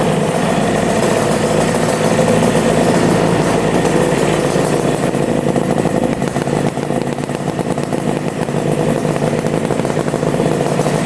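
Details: Twin-carburettor engine after restart, where the right carb had earlier seemed to use no fuel: steady, even idle with a smooth low rumble and no knocks or misses, both carbs now working; normal idle.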